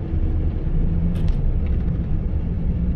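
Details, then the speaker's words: 2004 Chevy Colorado 3.5 L, towed in after dying while driving, lean code, on a road test with a fuel pressure gauge: deep labouring rumble, revs won't climb under throttle, engine falls flat with no fuel pressure. "it's absolutely falling on its face but it has no fuel pressure"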